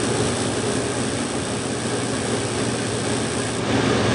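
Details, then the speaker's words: 8.5-ton Carrier gas heating unit on a no-heat call, after a board reset: steady draft inducer hum, gas smell but no burner whoosh and no ignition. The cause was an arcing igniter wire. "no gas. Smells like gas, but we didn't fire. Should retry. Yeah, we got something wrong with the igniter. I'm smelling the gas, but I'm not getting ignition."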